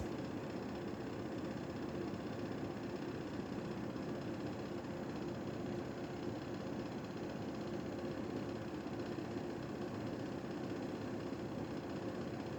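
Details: Panasonic air conditioner whose indoor fan was broken while being cleaned, running with a steady low rumble, hum and constant throbbing vibration. The broken fan is out of balance and needs replacement.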